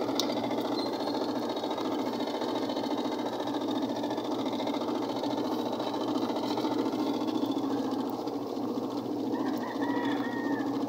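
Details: Automatic washing machine during spin after rinse: fast, uneven rattling knock about ninety-odd beats a minute over whirring spin; technician says a part is not yet fitted, causing the noise. Knocking during spin from unfitted part.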